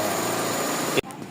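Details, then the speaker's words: GLI 4A-FE engine after repair of idle and misfire issue: steady, even idle hum with no stumble, miss or hunting; idle now normal, though idle-up reacts slowly with aircon on. "So after magawa ito na po result niyan. Yan yung idle niya."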